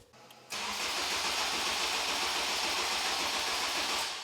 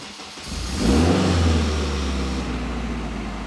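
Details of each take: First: Starter churns about four times a second in two long bursts but the engine never fires. Haltech ECU loses power while cranking because its 12 V trigger drops out and needs constant 12 V; voltmeter shows over 10 V. Starter weak with a small cable. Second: Honda Type R with a Haltech ECU, started via the stock starter button: a short crank catches within a second, flares, then drops to a smooth, even idle, and the starter cuts off as soon as it fires. Normal start.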